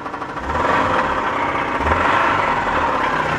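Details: 1992 Subaru knocking at idle after being driven very low on oil: loose, uneven knock about four per second over rough clattering idle; owner suspects bent pushrod, likely oil-starved internal knock.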